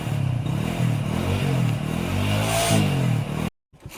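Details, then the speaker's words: Motorcycle that would not start after two wires had been cut, now running after the wires were rejoined. A steady, low, fairly even beat at fast idle, then it cuts out abruptly. Normal running. "Hello दोस्तों, काफी time के बाद हमारा गाड़ी जो कि बन चुका है। देख सकते हैं अभी स्टार्ट हो रहा है।"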